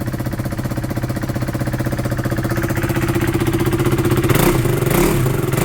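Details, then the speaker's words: Original exhaust refitted and sealed with exhaust gum on a KTM motorcycle, battery low; started after cranking, revving with even idle beat rising smoothly in pitch, no popping or chuffing at the exhaust; sounds great, normal revving. "Yeah, that sounds, ooh, yeah, that sounds great."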